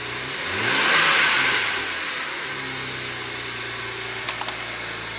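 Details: 2009 BMW 335i twin turbo warming up after new OEM camshaft position sensor for lost boost; brief rise then steady even idle with smooth high whir, no misses or knocks; healthy.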